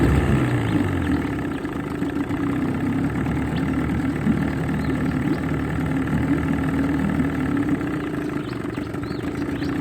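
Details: Johnson 20 two-stroke outboard in a test bucket after new water pump, head gasket and water cover gasket: busy, slightly uneven burble settling into steady idle, no knocking or squeal; runs healthy with strong tell-tale flow.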